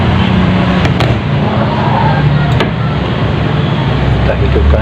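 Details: Sharp Super Aquamatic ST-69CL twin-tub washing machine after repair, spin dryer replacing a failed capacitor with a 4 µF one: steady, even low drone of the spinner at speed, no scraping, knocking or labouring.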